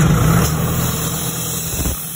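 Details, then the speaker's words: Cummins-powered Doosan air compressor that cranked but wouldn't start, running after an SCR inducement reset with Cummins Insight: brief even diesel hum muffled by phone noise suppression; normal running. "now we've hit the build air button you can see the air pressure is up and she's running at full speed even though you can't hear it"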